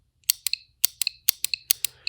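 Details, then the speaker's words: Automotive relay actuated by a VDIAGTOOL V200 circuit probe connected across it: sharp paired clicks, about four on-off cycles in two seconds, clean and consistent, relay pulling in and releasing properly. "okay so I'm going to connect this across the relay and what I'm going to do is I'm going to simulate actuating the relay to test it you can hear the relay clicking"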